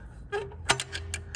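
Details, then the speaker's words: EGR valve on a 2016 Ford Everest 3.2 diesel, 215,000 km, checked during intake manifold carbon clean: levered open with a screwdriver and released, it snaps shut sharply with no scrape or drag, spring closing it tightly; valve not sticking or binding, normal. "I can hear that it closes quite tightly. It's obviously a spring that holds that valve in place."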